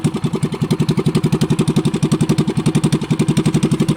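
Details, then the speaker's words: Small boat engine running after cleaning; steady, even putter at about four beats a second with no knocks or misses, running cleanly. "Yan mga idol no, paandarin natin. Bali maingay dito mga idol no, kasi may nagpapawerso."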